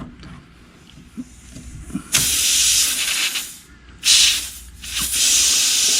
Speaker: And it's definitely leaking air. I can hear it hissing already.